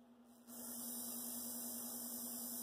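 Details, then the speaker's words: Athearn Blue Box SD40-2 motor, for DCC/sound install, held stalled by finger at creeping voltage drawing 0.3 A: steady low electrical hum over faint hiss with no scraping or rattle, a normal stall draw. "Look now, stalled out, 0.3. See, I'm stalling it with my finger."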